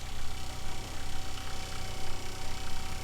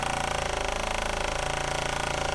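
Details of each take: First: Kohree 12V 3.5 GPM 55 PSI diaphragm water pump installed in an RV, measured around 68–70 dB, much quieter than the Shurflo it replaced: low, steady pulsing hum, even beat, softer vibration, no rattles or knocks; normal running. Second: Existing Shurflo 4008-101-A65 12V diaphragm RV water pump running, mic about 12 inches away and pointed at the pump; rapid chattering buzz and low hum at about 77–78 dB, with heavy vibration carried into the living space.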